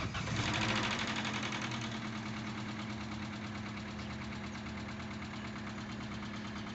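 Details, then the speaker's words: 2005 Vauxhall Astra H after engine flush, cold start after sitting overnight: catches and idles with light quick ticking about three per second; still a bit tappety but quieter than before; tappet noise on cold start. "still a bit tappety but it had an engine flush"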